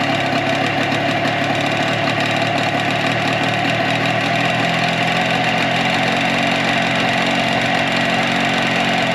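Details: 2004 Tohatsu 9.8 two-cylinder two-stroke long-shaft outboard after general maintenance: steady, busy idle with even rattle, no stumbles. Plug-boot pull test disproved suspected miss; both cylinders firing, normal idle.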